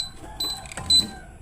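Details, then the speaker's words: Samus 988 Plus ultrasonic unit tested with leads clipped to a foot: short high-pitched chirps in quick bursts, no fan, beeping into protection and refusing to start; unclear whether it needs a remote to start. "Kalau dites kaki juga bunyinya kayak gitu. Tit t ti tit tit kayak nge-protect gitu, Mas Bro. Enggak mau start atau pakai remote, ya?"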